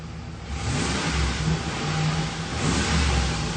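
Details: Ford Expedition after power returns to the fuel pump from the relay: engine pulls up smoothly and holds an even, steady note with no misses or stumbles; fuel pump getting power, charging normally.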